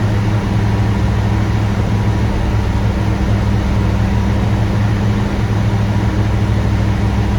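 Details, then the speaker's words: 1970 Chevy C20 V8 truck after engine bay cleaning, timing sounding right, steaming: deep, steady rumble holding an even idle with no misses, knocks or ticks; normal idle. "hey it's idling and it's steaming"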